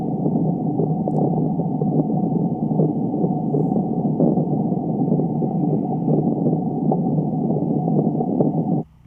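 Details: Leaking water service line in a front yard, where a tracer-gas reading of 0.1–0.15% indicated about a 3/4 gallon-per-minute loss. A ground mic picks up a steady bubbling, spitting, sputtering hiss of escaping water for about nine seconds.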